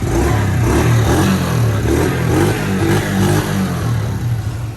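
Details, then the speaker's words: Kawasaki Mojave 110 ATV, fresh gas, new lines and filter, old plug, start on choke: uneven lumpy stumbling beats about two a second; runs rough, needs a little throttle, dislikes choke. "Needs a little throttle, sounds like. They don't like the choke."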